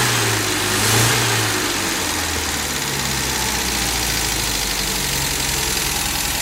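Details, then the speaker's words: Old vehicle engine with hand-filed points and 10-year-old gas mixed with about two gallons of fresh: lumpy, uneven, wavering idle with smoke, improving as it runs; points likely misadjusted plus stale fuel. "well it's got two problems one I filed the point so I'm sure the points are not set correctly well it smoked pretty good that kind didn't it yeah and the other problem is the gas is 10 years old and only mixed with about two gallons of fresh so that probably doesn't help anything"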